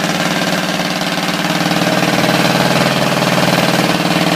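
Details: Ford 351 Windsor V8 with a spun bearing, running rough while abused with water hosed on the engine: deep, heavy, regular knock about four times a second. Rod bearing knock.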